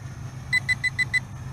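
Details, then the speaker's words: TIANQU VISUO XS812 GPS 5G WiFi FPV quadcopter in flight after a fail-safe reconnect: five quick high beeps, about seven per second, over faint motor hum as the battery indicator reads 16-15; low battery voltage warning. "okay looks like the battery level indicator is showing me only sixteen fifteen oh my god okay so we have a low voltage warning already oh wow not much flight time"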